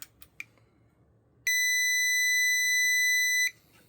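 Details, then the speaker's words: Mustek PowerMust 530 Plus UPS, opened for modification, with its buzzer partly muffled because it was too shrill: a few faint clicks, then one steady two-second high beep over a quiet transformer hum; UPS alarm beep. "А, ну и еще, если это можно назвать, модернизация, заглушила немного пищаку, потому что противная"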